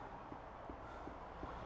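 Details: 2003 VW Golf 1.9 TDI with a split boot on a worn track rod end: four soft, evenly spaced knocks, close to three a second, as the wheel is rocked back and forth; fixed by replacing the track rod end.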